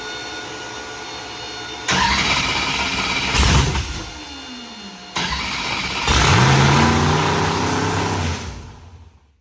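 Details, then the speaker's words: Race V8 first fire-up on the dyno with a fresh tune: it fires, flares and sags, then restarts and hangs at a raised, wavering idle. The owner suspects the IACs are stuck open or there is a vacuum leak; the IACs were then pulled and checked closed. "uh either that or the IAC stuck open because they're pretty much closed"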